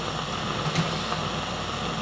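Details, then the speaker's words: Magnavox Micromatic Power Transistor record player built-in amplifier: steady seashell-like hiss in the left channel only, varying with volume and present with tone arm cables unplugged, no AC hum; owner suspects a noisy transistor or bad capacitor. "as I move the volum around the Left Channel sounds like a seashell okay it's probably a no a bad cap or maybe a noisy transistor I'm not sure"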